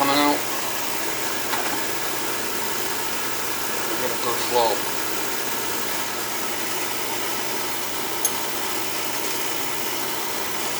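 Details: Oil furnace at annual service, thermostat jumped out, bleeding air from the oil pump: steady even hiss-roar throughout without sputter or pulsing, burner firing properly; normal burner operation.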